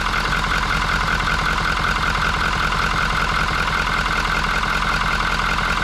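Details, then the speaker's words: 2019 Ford F350, 6.7 Powerstroke diesel, 88,000 miles, after replacing a clogged crankcase ventilation filter: a steady, even diesel idle with smooth clatter and no hunting or knocks; crankcase pressure is gone, though the turbo is damaged. Normal idle. "let it sit for a little bit let it run no pressure"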